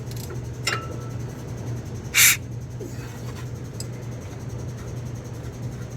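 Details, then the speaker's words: Thunderbird engine being set up after rebuild, turned slowly by hand with spark plug out and finger over plug hole: one sharp puff of air from the cylinder. Normal compression puff. "Did you hear that noise? That's the compression. Normally that would get squeezed in there, but I had the spark plug out."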